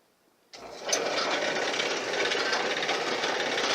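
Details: Crusher machine with newly fitted pulleys and belts, test crushing cans at low speed around 50–80 rpm: motor spins up into a steady whir with light rhythmic clatter and no growl, running smoothly and much quieter.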